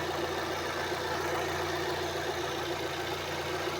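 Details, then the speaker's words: Fiat Uno after repair of piston pin knocking and poor running: smooth, steady idle with an even low hum and no knocking. Normal engine operation. "Vou dar partida no carro. Esse é o funcionamento do motor que deveria estar."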